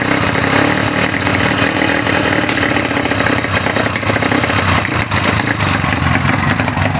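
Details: Honda GL Neotech motorcycle, fouled black spark plug, heavy fuel use: loud rough uneven engine stumbling as throttle opens, faltering at low and high throttle; misfire at higher revs, cause not yet pinned down.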